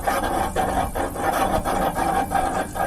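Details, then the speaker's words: VW Manx-style buggy air-cooled engine running after a generator-to-alternator upgrade: dry scraping rasp about twice a second, the alternator rubbing the backing plate each turn. Owner first suspected bolt tightening warped the plate; actual cause was no pedestal under the alternator, letting it torque down. "It wasn't rubbing before, but I guess the um tightening of these bolts has warped the plate on the back."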